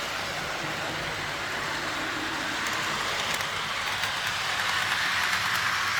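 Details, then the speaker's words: TT120 model railway layout, loco running from the quiet no-cork section into the noisy section: steady hollow rumble with fine clicking, loud and drummy; excessive track rumble caused by track glued to cork on foam. "right now the TT is running on the quiet section into the noisy section here we go back in the noise hear how loud that is I really hope it's coming through on the uh on the video guys cuz it is monstrously loud around here"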